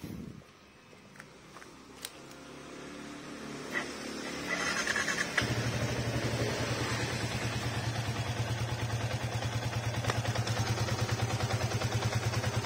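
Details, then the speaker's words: Yamaha Vixion after engine teardown repairing rough engine noise, piston scored likely from oil loss due to leaks; single starts and settles to smooth, even idle with steady beats, rough sound gone. "wes suara sudah halus ya"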